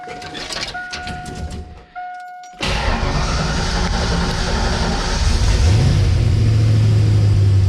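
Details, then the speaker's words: Ford Mustang Foxbody V8 first running after years off the road, lock cylinder replaced, custom throttle bracket; chimes, brief crank, loud even rumble rising steadily when revved, healthy. "it runs now, and you're gonna hear it, and it sounds nasty in the best way possible."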